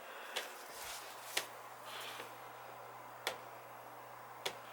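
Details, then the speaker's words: First-floor heating zone with no heat, zone valve head refitted, lever moving down easily: faint steady low hum under scattered clicks as the actuator creeps open; zone valve opening normally. "Did go up there and check it. The lever's coming down easy, and you could hear it."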